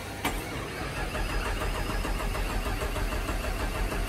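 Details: 1998 Jeep Grand Cherokee Limited, fuel injected, cold start after sitting over 2 years in the woods: starter churns steadily and unevenly for several seconds but the engine never fires; cranks without starting.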